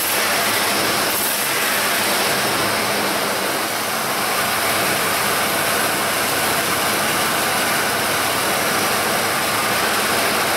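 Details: 1995 Ford F-150 5.0L after repairing an open-circuited spark plug wire that caused a single-cylinder misfire. A steady, even idle with a smooth low hum and hiss, no stumble or skip; runs cleanly on all cylinders.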